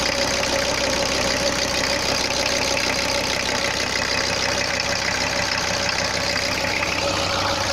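Steady diesel clatter at idle, even and consistent throughout, no misses or odd knocks; engine running fine.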